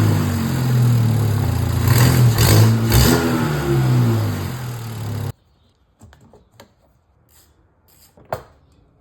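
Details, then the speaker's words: VW Jetta GLI turbo engine revved: raspy puffing chuff rising with throttle from an exhaust leak by the turbo, caused by a missing bolt found backed out; before repair. "Last night driving home from work, the Jetta sprouted a pretty big exhaust leak coming from somewhere over by the turbo."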